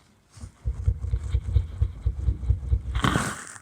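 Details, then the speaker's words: 1961 Buick LeSabre on jack stands, driveshaft rear section rocked by hand: quick dull metal clunks from a worn center support bearing, confirming the thump heard while driving; the bearing is to be replaced. "So this kind of confirms that this is what we were hearing cuz it shouldn't be doing that that much."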